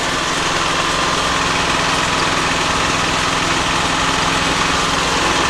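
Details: Harbor Freight Predator Hemi 13 HP 420cc OHV horizontal-shaft gas engine on a stump grinder, about 20 hours, electric start, choke off: steady even single-cylinder bark at constant speed, no knocks, misses or rattles; healthy.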